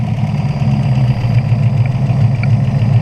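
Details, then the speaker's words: 1968 Buick Skylark Custom V8, revived after about 40 years sitting, with the PCV disconnected: deep, steady idle with no misses, and the earlier knock has gone. Normal idle. "listen to that thing idle now he's just running sweet yep"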